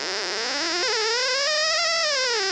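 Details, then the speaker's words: Hammerhead DIY pulse induction metal detector, VCO audio output after installing R50: shrill buzzy "angry bumblebee" tone sweeping up and down as threshold pot R31 is turned; threshold set too high, needs backing off. "i'm sure you can hear that the the angry bumblebee so that that's a result of the threshold not being set properly"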